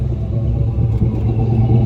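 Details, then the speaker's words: GMC Sierra Classic 2500 4x4 V8, just out of the exhaust shop with fresh Flowmaster dual exhaust, recorded on a phone: deep, steady, even idle rumble, no puffing or ticking; normal exhaust tone, no more leaks. "can hear the tone a little bit right there. We'll try to go in here and hit the gas. Really hard to hear the sound as proper as you should to a cell phone."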